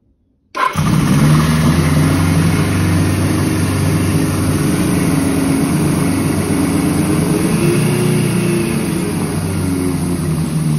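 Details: Suzuki GS750 cafe racer, owned about seven years, cold start on choke: engine catches after a silent moment and settles into a steady, even, burbling four-cylinder idle; healthy.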